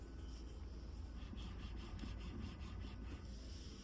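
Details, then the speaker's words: Mahindra XUV700, engine running, blower off, after steering repair that fixed loud noise while turning the wheel: only a faint steady low engine rumble as the steering turns, no groan or knock; steering now quiet. "पहले ऐसे steering moving करने में बहुत आवाज आ रही थी। तो अब इस गाड़ी में कोई आवाज नहीं है।"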